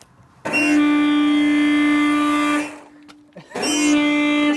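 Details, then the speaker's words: Newly installed air horn on a Mitsubishi/Plymouth Colt, first test wired into the horn wire: two steady blasts with a thin, reedy tone and little punch. Owner suspects a worn-out pump; the horn fuse blew, so a relay is added next. Weak air horn tone. "So, That sounds lame. Something's wrong with that pump. I think that pump's a little worn out."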